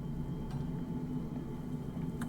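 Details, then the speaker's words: Electric vehicle cabin, augmented-acoustics sample with no energetic masking of the whistle: thin steady high whistle above a low cabin rumble, unchanged; aerodynamic wind whistle. "Ici on entend encore le sifflement. Cette fois-ci, il y a pas de masquage au sens énergétique du terme."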